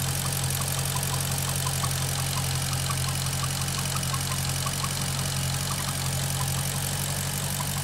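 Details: Maserati GranTurismo at operating temperature: steady idle with a faint, uneven ticking about three times a second. The noise is absent when the engine is cold and when the oil dipstick is pulled; its source is unknown.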